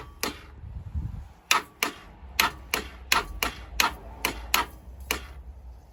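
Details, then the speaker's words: 1987 Honda Super Magna with a new battery: sharp dry clicks in uneven bursts, about two a second, with no cranking underneath. Owner suspects a stuck starter, flat battery or vapor lock; it fired on the next push. "the starter get stuck or we just kill the battery something just let loose oh man why are you giving me issues buddy why why all the issues something's Vapor locked or something"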